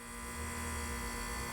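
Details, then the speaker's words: Home AC outdoor unit switched to cool: compressor hums loudly and steadily while the condenser fan isn't running and won't kickstart with a screwdriver, likely a bad capacitor. "So it's making a lot of noise and the fan is not running at all."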